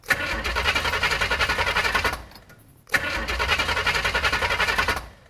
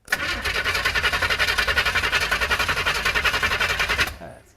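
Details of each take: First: 408 small-block Chevy on first start, run briefly dry with no lower radiator hose: choppy, loping idle with an uneven chop-chop beat, about three or four lumps a second, from a big performance cam; big fuel leak noted. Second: 408 small-block Chevy on its first start attempt cranks evenly, about nine strokes a second for four seconds, but never catches. There is no spark because the MSD distributor ordered doesn't suit the 6AL box; a bad fuel line was also found and the distributor gear height sits far off.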